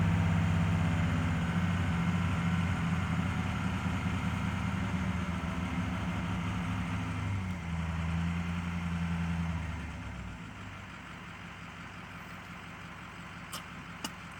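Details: 2006 Ford F350 6.0 Powerstroke diesel with new injectors, filters, sensors and IPR valve, held at fast idle: uneven, shaky beat before the revs drop; rough running. Owner suspects aftermarket cam/crank sensors or the throttle pedal.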